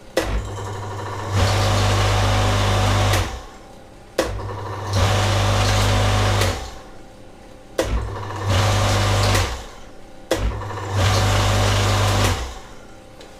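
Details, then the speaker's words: Old Karcher K7.20 pressure washer that hummed without starting: fitted with a 35 µF start capacitor instead of the specified 40 µF, the motor kicks on four times with a deep steady hum and starts sluggishly; undersized start capacitor causes harder starting. "Тут должен быть на 40, мы поставим ему на 35. Аппарат должен запуститься нормально, никаких проблем."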